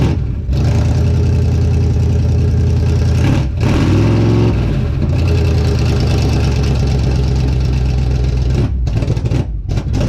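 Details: Healthy 52 Ford rat rod V8 idling outside just after first start following fuel pump hookup and fuel in the carb, loud uncorked burble through open headers with no stacks fitted, one rev blip then steady lumpy idle; runs strong.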